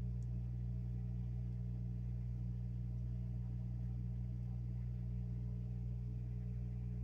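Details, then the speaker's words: 1,500 W water-cooled CNC spindle on a 6040 CNC, coolant of windshield washer fluid and distilled water, pump just switched on: steady even low hum, quiet, bubbles flowing through the spindle lines, no surging or rattles; normal pump hum. "I hear the pump on and I see the lines going through the spindle he's nice and quiet see some bubbles going through and I can hear the hum"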